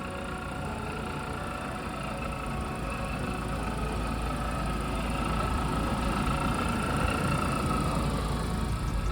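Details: Supercharged Mini Cooper R53 idling after M7 Speed intake install: even, settled idle with a steady low hum and a light intake hiss, sounding healthy.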